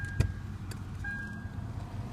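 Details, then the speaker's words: Lexus IS300 with the key on and the glove-box AC actuator unplugged: quiet cabin with only a low hum and faint whistle. The grinding behind the glove box is gone and AC still works; the real fix is adjusting the actuator gears. "So nothing happened. No noise. I mean, you still have the AC function."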